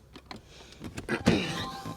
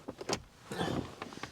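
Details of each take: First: 2014 Kia Sorento passenger door locks: quiet cabin, then one firm quick clunk as locks throw with good power; unlike the driver door, whose actuator is suspected weak. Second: 2014 Kia Sorento with faulty door locks: on the lock command only a short, faint buzz and click inside the door, a twitch but no solid clunk, while the relay clicks; weak door lock actuator.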